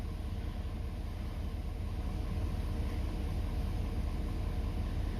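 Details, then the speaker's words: 2017+ Ford 6.7 Powerstroke diesel, warm engine, just started after fuel filter change and three lift-pump bleed cycles: low, steady rumble with an even beat, no misses or knocks; healthy idle. "I heard a few more bubbles, little pockets, and call that good and crank it up. Fired right up. I let it run a couple of seconds."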